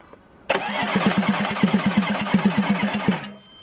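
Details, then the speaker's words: Audi A6 C5 2.5 TDI V6 (AKE) that won't start even after two injection pump replacements: steady starter cranking, about three even compression pulses a second for nearly three seconds, never catches; cause was incorrect injection pump timing. "Yes, well, it is clear that the machine will not start, well, let's see the errors."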